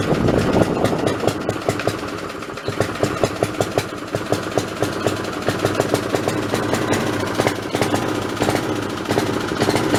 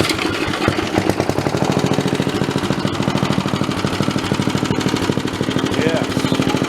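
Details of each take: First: Snapper 3081 riding mower that died suddenly mid-mow, fitted with a known-good plug from a snowblower: uneven putter with sharp pops, misfiring and backfiring. Owner suspects the coil/magneto is failing. Rough running. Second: Old Snapper 3018 riding mower, which died while mowing, now with the original spark plug refitted: a quick, steady putter at a fairly even rate with no misses or knocks; normal running with the engine still hot and smoking.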